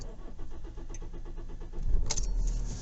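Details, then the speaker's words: KIA diesel with an air leak from a corroded metal connector in the fuel system, restarted an hour later after the glow light went off, clutch down: the starter churns evenly for about two seconds before catching; it cranks longer than normal. "that's a little bit longer than normal"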